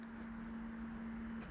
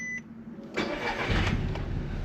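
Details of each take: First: Audi TT non-starter after fuel pump installation, on a jump pack with dead battery, key cycled: steady low hum about one and a half seconds, then clean cutoff; fuel pump priming normally at key-on, though car still doesn't start. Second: Petrol Audi TT project car that previously wouldn't start: it cranks and catches into a super shaky, uneven idle with an irregular stumble. A misfire of unknown cause; the owner had wondered whether the injectors were bad.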